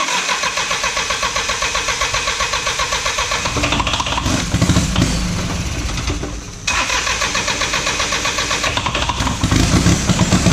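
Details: Diesel truck that sat five years, started after freeing the injection pump rack, clatters unevenly and surges and nearly dies before picking up again; an airlock in the fuel is suspected; rough running.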